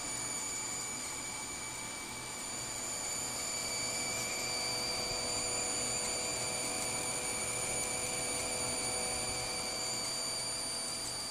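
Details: Computer power supply with ATI HD4870 graphics card: thin steady high-pitched electrical buzz getting louder with more load until it shuts off; problem seems with PCIe rails, replacing the PSU fixed it.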